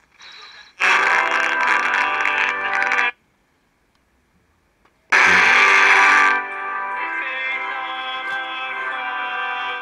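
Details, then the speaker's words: Vega 404 vintage Soviet transistor IC radio: music crackles and cuts out for about two seconds, then returns unevenly; draw almost 100 mA, excessive; IC suspected bad. "Hear it crackling and breaking up. It's almost at 100 milliamps draw. That's way excessive."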